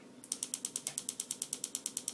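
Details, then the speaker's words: Test setup for an Arduino Uno paintball gun: 7805 regulator and an SMD transistor/diode drive the solenoid from a battery with a 5 V signal and 10 ms fires, LED blinking. Crisp, even metallic clicks about eight a second; the solenoid is cycling normally. "And you can see the LED is blinking, and you can hear the solenoid firing, and that's a 10 millisecond fire, and test circuit's working."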